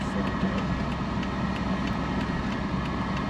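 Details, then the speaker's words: Early-1980s Toyota 4x4 pickup on a test drive, shifting up through fourth and fifth gear: deep, steady, rough unmuffled exhaust drone, far too loud; it needs a muffler or something, cause not confirmed. "Boy, nice with that exhaust. So it definitely needs to go in for a muffler or something."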